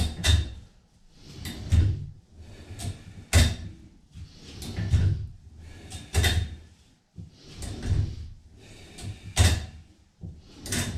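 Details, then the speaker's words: Total Gym Apex 1 cable row with cables crossed for extra tension: rhythmic swishing and rubbing every 1.5 seconds with each pull as the crossed cables chafe; noisier, less smooth but acceptable. "but it was a little noisy you could you can hear the uh the crisscross from the cables um so it wasn't the roll wasn't as smooth but it wasn't bad"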